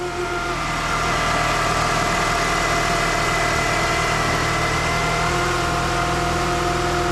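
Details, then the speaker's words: 2006 Chrysler PT Cruiser 2.4 at idle: thin, constant whine over the engine, not following any knock rhythm, customer's main noise concern; traced with a mechanic's stethoscope to a noisy alternator, which is then replaced. "Now our customer's main concern is this noise that they're hearing."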